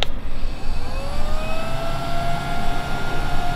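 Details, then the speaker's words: Replacement cooling fan on an MPT-7210A solar charger, old stock that sat in its box for about 15 years: steady airy hum, settling motor tone, no rattle or grind; runs smoothly and moves air. "sounds pretty good can probably turn down a little bit lower but you can feel the ear just coming out the other side"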